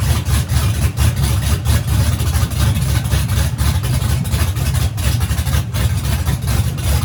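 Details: Freshly rebuilt turbo engine at first fire-up after teardown, started with starting fluid, headers on and turbo hot side not yet fitted: deep, loud, lumpy rumble with steady pulsing and no knocks; runs healthy.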